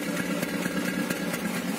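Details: Peugeot 206 1.1 petrol with 500,000 km, cold only and coil already replaced, engine light sometimes flashing, fuel smell: lumpy cold idle with irregular misses and stalling; owner suspects the MAP (intake pressure) sensor.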